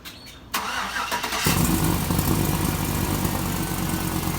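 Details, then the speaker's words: Car exhaust leak, owner plans to tighten the bolts: brief crank, then the engine catches loud with a fast puffing tick at idle, loudest right at startup before quieting somewhat. "that's basically the noise it's doing it usually it just really sounds loud as soon as i turn it on but after that it quiets down but it's still a bit annoying"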